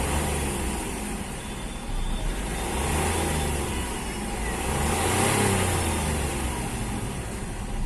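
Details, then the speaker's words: Hyundai Xcent diesel that knocked, misfired and blew white smoke when revved and released, now restarted and revved: smooth rumble climbing and settling evenly, no missing or knock, rpm holding normal; engine running healthy. "तो आप देख सकते हैं कोई भी missing नहीं है गाड़ी के अंदर एकदम इंजन स्मूद है और आरपीएम भी बरोबर इसका रह रहा नॉर्मल इसका आरपीएम"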